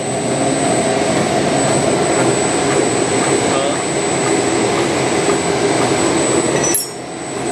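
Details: Ice cream machine motor test after replacing cracked bearing that caused a ticking "tig tig tig" noise: steady, even hum with faint high whistle, no knocking, rumble or grinding; the noise is gone. Normal running after repair.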